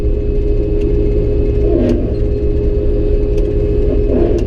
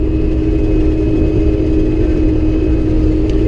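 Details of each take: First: Combine harvesting oats with a worn header run close to the ground; steady low engine and machine drone with two brief surging clatters as a balled-up wad of thin crop feeds through without plugging. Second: Combine harvesting oats on the first day at about four mph: a steady, even mid-pitched drone with no knocks or surges. Normal harvesting operation.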